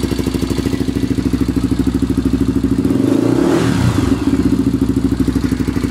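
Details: Honda 400EX single-cylinder at idle and through a rev: steady light tick on every firing stroke; owner thinks the valves badly need adjusting. Valve ticking suspected.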